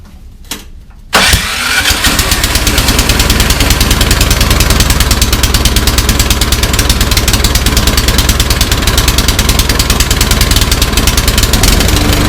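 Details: Troy-Bilt Storm 2410 snowblower, back for a second service visit, started with choke and throttle on a nearly full tank: runs rough and lumpy with speed hunting and surging; carburetor or fuel system suspected.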